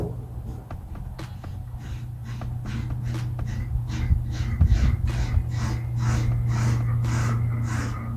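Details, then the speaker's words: 1964 Chevrolet Chevelle Malibu convertible, 283 cu in small-block V8, 3-speed column manual, cold after sitting at least 6 months: slow regular starter chugs about twice a second, never catching, cranked to prime fuel; automatic choke faulty. "So I'm going to crank it a little bit to prime up some fuel, and then I got to set the choke because the automatic choke doesn't work quite properly, and then we'll see if it'll do anything."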